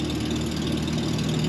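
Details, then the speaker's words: Vintage Datsun 521 pickup after heater core replacement, engine running: rapid, raspy puffing tick over a steady low drone from up near the engine, identified as an exhaust leak still to be fixed. "so i think that's fixed also you hear that exhaust leak up there yeah we're gonna fix that too i'm tired of that"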